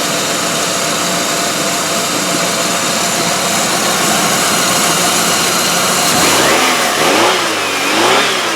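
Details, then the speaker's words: 1999 Pontiac Grand Am 2.4L after timing chain and tensioner replacement: harsh, uneven engine note with ragged blips when revved; it still has the rough idle problem, smells rich, and turned out to be badly damaged internally. "all right well it runs it still has the rough idle problem"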